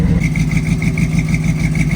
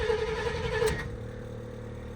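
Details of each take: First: Old Chevy square-body barn-find V8 with headers and likely cam, first start after sitting for years: steady idle with sharp rhythmic ticking puff on one bank; exhaust leak at header. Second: Old Chevy square-body barn-find truck with headers, sat for years, new battery and fresh fuel: slow even cranking then fires into rough rising idle; starts fine, slight exhaust leak suspected.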